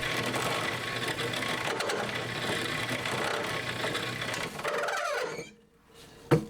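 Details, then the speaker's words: Homemade cylinder hone in a drill press, Honda Monkey four-cylinder engine project: fast rattling chatter over the spindle hum; stones bouncing because spindle speed is too high, later cured on a milling machine with the universal joint removed. "高さがあるということでボール盤でやったんですが、残念ながらちょっと回転早すぎてダメでしたね。"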